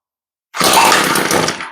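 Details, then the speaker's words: Echo stick edger, older two-stroke stored a long time, running after the carburetor was cleaned because the fuel system was a mess; short crisp burst that picks up cleanly without stumbling; normal running. "o that sounds promising that motor sounds really good"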